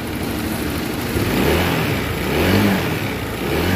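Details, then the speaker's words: 2023 Honda Vario 160 scooter, recently bought: coarse, uneven rumble as it revs; cause found to be a scored piston, with a loose timing chain adding noise; block to be claimed under warranty. Scored piston. "jadi ini guys pada 160 Ini keluaran itu suara mesinnya kasar ya guys jadi sama-sama kita dengar suara ini ya"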